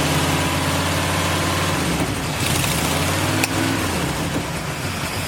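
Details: Ford Bronco with a 460 V8, first start after the build: even, deep V8 burble at idle with a faint ticking edge from a slight header exhaust leak; otherwise smooth.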